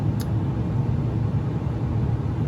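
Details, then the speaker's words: Carrier gas furnace in heat mode: steady deep rumble with no knocks or squeal, described as typical of a draft inducer exhaust fan motor with worn bearings; not confirmed. "so right now the furnace is um, heating. So, anyway, yeah, that's just an example of what the furnace usually sounds like when the furnace exhaust motor goes bad."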